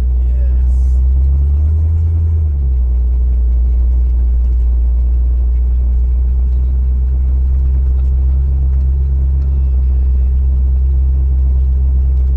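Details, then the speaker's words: Trabant two-stroke imported from Berlin, driven slowly on the road after pickup: deep, even, relaxed low rumble at steady speed with no knocks or rattles; running normally. "But it sounds great. Relaxed."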